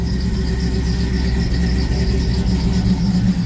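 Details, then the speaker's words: 1972 Monte Carlo with a 2005 LS engine swap, new exhaust without tailpipes, check engine light on, tune still rough. Steady V8 idle with a faint thin high squeal on top; squeaky belt needing adjustment. "there's the other problem that cropped up the other day squeaky belt yeah I got to adjust some"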